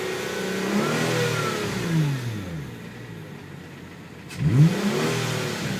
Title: Tiburon engine whine noise